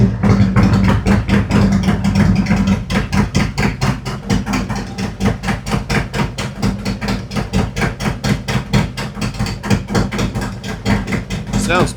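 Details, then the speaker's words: 2018 Harley-Davidson Road Glide, Milwaukee-Eight 114, after installing a Cycle-Rama CR480MT cam and re-tuning the ThunderMax ECM; it previously ran hot with poor mileage. Started at 82°: an even, clean cam lope at about two pulses a second with no ticks or knocks. "better. Sounds better every time. It's got more of a nice clean lope to it now."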